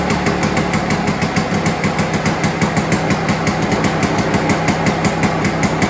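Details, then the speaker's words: Curbside-found Victa 2-stroke Commando lawnmower after a carburetor clean, starting first pull: crisp, even two-stroke buzz with a steady beat and no surging or misfire; runs cleanly. "there you go folks with a simple carb cleaned like we've just done she's now starting first pull"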